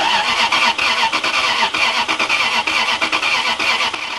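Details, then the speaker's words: Lexus LS430 with battery and throttle body just reconnected cranks with a quick, uneven churn but never fires; owner suspects an unplugged sensor plug/low-pressure fuel pump connector. Cause suspected, not confirmed. "Oh, God. I wonder if it won't kick over because of that sensor."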